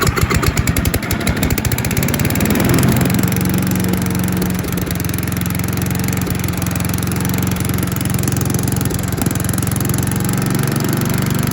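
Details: Troy-Bilt chipper/shredder, once rough after carburetor reassembly, started unchoked the day after repair and chipping branches: single-cylinder engine holds a steady, even beat without bogging or misfiring; normal running under load. Owner suspects rocks damaged the blades.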